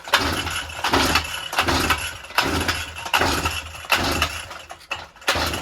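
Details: Brush cutter (grass cutter) two-stroke, hard starting for about a week; repeated pull-start attempts, engine fires briefly and dies each time, won't keep running.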